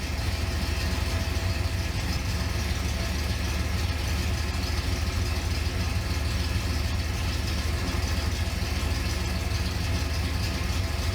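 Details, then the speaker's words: 1970 Pontiac Grand Prix SJ V8, first startup for cam break-in; steady even deep idle, no knocks or misses; handheld shows coolant coming up to 150, thermostat holds about 204, replacement planned; normal idle. "Spit gas up a little bit. Fired right up like it's supposed to. Nice idle."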